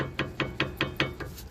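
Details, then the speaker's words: Nissan Xterra with the wheel off and a low brake pedal: the rotor and caliper slide with excess play. Five sharp metallic knocks, about five a second, as the loose brake assembly is rocked by hand. Owner suspects a frozen, non-working caliper; not confirmed. "So I'm going to assume that the noise is down here. That is the noise. I bet you this brake caliper is not even working."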